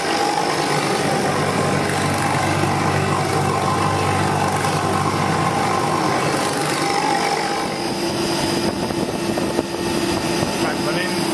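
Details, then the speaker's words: HVAC condensing unit after resealing fusible plug; condensing around 40° and evaporating about -8, ice starting on coils; steady compressor hum and smooth fan rush, no knocks or rattles; normal running. "um it's condensing around 40° and VAP about - 8 sorry guys it's what youd expect with this s system"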